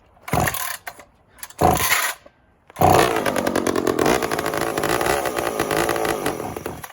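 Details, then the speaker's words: Old big chainsaw (Pioneer P51 or Husky 2100) on a chilly day: several short sputtering starts, then catches and runs unevenly with ragged wavering buzz; rough running, owner suspects carburetor diaphragm. "diaphragm the thing runs we know that but I can almost guarantee it's a diaphragm unless unless it gets going"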